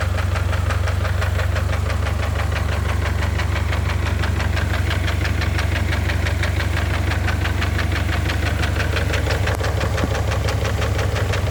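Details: Engine starts fine but knocks once warm: sharp regular knock about three a second over warm idle, previously masked by thick oil; Lucas heavy-duty oil stabilizer added did not fix it.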